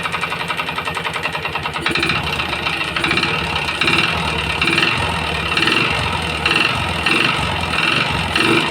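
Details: Yamaha Jupiter MX motorcycle that smokes, recently serviced, idling before teardown: light rapid metallic clatter ticking steadily over idle, no piston growl; later traced to damaged piston block and con rod.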